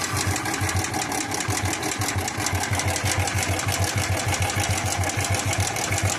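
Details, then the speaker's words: 110 cc single-cylinder motorcycle at idle before engine work: fast even ticking rattle about three clicks a second over steady idle; worn timing (cam) chain rattle, cam chain must be replaced. "Okay இந்த மாதிரி noise வந்தா கண்டிப்பா game chain கண்டிப்பா மாத்தி ஆகணும்."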